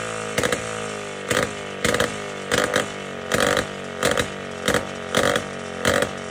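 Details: Jawa 250 type 592 two-stroke, just after a full overhaul, fires in uneven bursts about every half second and won't hold revs; the float is seen not sealing.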